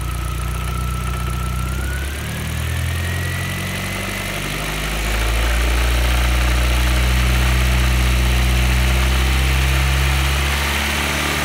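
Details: Audi B5 A4 1.8T petrol four-cylinder idles, revs and settles back, with a steady ticking knock over it that quickens with revs; cause unclear.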